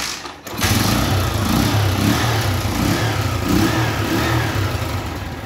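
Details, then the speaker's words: Honda Fan 125 with battery cable removed: engine catches after brief crank, steady even low putter, no misses or knocks; runs fine without battery. "mesmo assim ela pega por que jur deixa eu te explicar aqui ó"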